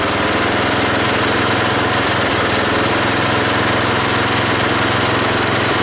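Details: Belt-driven log splitter small engine after fitting a homemade spring-tensioned idler arm and pulley to stop the belt flying off: steady drone taking the splitting load, no surging or squeal; hardly any belt or pulley slipping.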